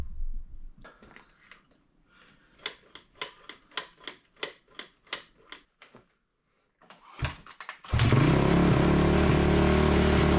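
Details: 2004 Honda CRF250R with a damaged head that had been hard to start, after repair: a string of sharp kick-start bursts, then it catches and settles into a steady, even idle with no misses; sounds much better before tuning, later found too lean.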